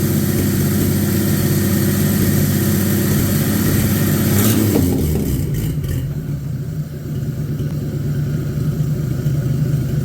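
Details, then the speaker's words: Abandoned 1950 Chevy 1-ton with a 216 inline-six, running steadily with a brief rev; the earlier knock can no longer be heard and is suspected to have been the loose clutch rattling, but the water pump has now failed. "well uh water pump has definitely left the chat guess good news though is I can't seem to hear the knock anymore so it almost self-healed"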